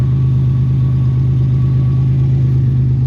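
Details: 1991 Buick idling after the fuel filter, previously installed backwards, was turned around and fitted correctly; deep, steady, even hum with no misses, ticks or knocks: smooth normal idle.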